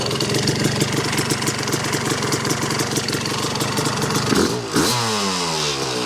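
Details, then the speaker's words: 1986 Yamaha YZ250 two-stroke, sat since 2015, running on choke with a borrowed carb and throttle: crisp even ring-ding idle with regular popping, then a quick clean blip dropping back smoothly; healthy idle. "Holy cow. What an animal. Well, this one is gonna be fun."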